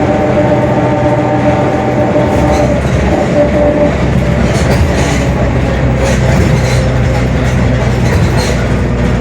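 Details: Mercedes-Benz OF-1721 Bluetec 5 diesel urban bus, Mascarello GranVia Midi body, built 2021, onboard: steady low drone with faint tonal hum through the run, the rear differential growling (roncando).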